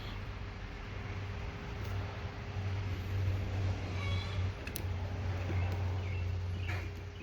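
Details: 1987 Toyota 4Runner 22RE with new fuel tank, pump and sending unit: pump powered by jumping terminals with key in on position gives a faint, steady, even hum under passing traffic; fuel pump running normally.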